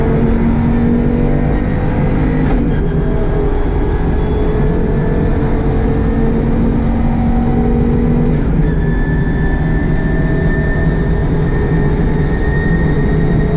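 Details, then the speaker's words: Audi Quattro Group B rally car: loud revving engine with a ragged, uneven note and pitch jumps under throttle; the misfire is still present and its cause has not been found. "Okay. Still got a misfire."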